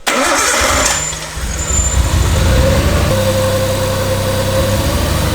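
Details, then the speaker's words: Swapped-in RB20 engine in an R32 Skyline with vacuum lines sorted: it idles with a slightly lumpy, uneven beat from a slight misfire; coil packs are suspected. "but we have one other issue now, and that's a slight misfire."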